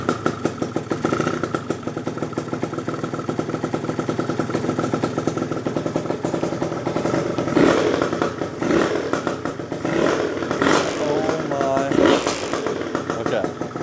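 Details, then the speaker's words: Freshly built PM Tuning 172cc Gilera Runner liquid-cooled two-stroke Piaggio scooter engine, first start, cold, not revved, with a split fuel line leaking: quick, regular popping holding an even idle without dying or hunting; idling fine. "Oh my gosh. Can you believe it finally started? Bro. It's so quiet actually right now. I don't even want to give it anything. We're gonna let this baby idle."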